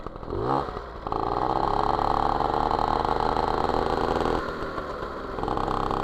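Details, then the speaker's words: MBK 51 Magnum, stock two-stroke with Dellorto PHBG 15 BD carb, Malossi 19 intake and Arrow Performer exhaust, on the previous jetting (W9 needle): revs hang flat and blubbery with sputtering backfire, too rich and unresponsive. "c'est pas assez réactifs ça pétarade de trop ça commence est trop riche"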